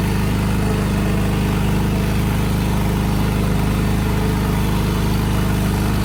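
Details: Craftsman DYT 4000 riding mower twin-cylinder engine at steady idle with lumpy, uneven low thump about two and a half beats a second; running on one cylinder.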